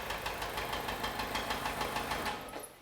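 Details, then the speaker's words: 1991 Nissan Figaro after a lifter refresh, heard through a long screwdriver with the boost tube reconnected: steady rapid knocking, about three per second, over a rough idle, deep and low in the engine; a loose rod is suspected, not confirmed. "we got a long screwdriver to listen to it [Applause] yes it's probably knocking more than likely"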